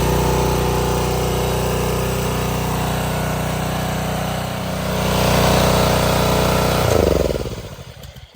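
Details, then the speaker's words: Subaru EA190V pressure washer after a no-start fix: small single-cylinder runs steady and even under pump load, pump spraying strongly, then winds down smoothly at shutoff. No misfire, normal running. "but I want it shooting out fast and if it's not pump don't work so I'm very surprised but that pump works well"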